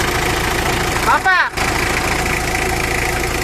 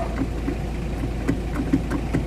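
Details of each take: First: Mitsubishi L300 diesel at idle: light metallic rattle at the clutch release bearing that goes away when the clutch pedal is pressed and gets louder when it is released. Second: Mitsubishi L300 diesel idling after greasing the clutch release bearing and its main drive guide: steady low idle with only faint light ticks, no bellhousing rattle; the earlier transmission noise is gone, though the clutch pedal is now too soft from over-adjusting the push rod.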